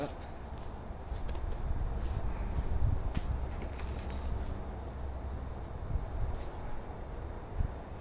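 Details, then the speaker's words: Subaru EZ30D fitted with an EZ36R intake via a throttle body adapter, with a reflashed ECU tune, on an unprepped cold start: catches and settles straight into a steady, even low idle with no stumble or knock. "There you go. Idles well."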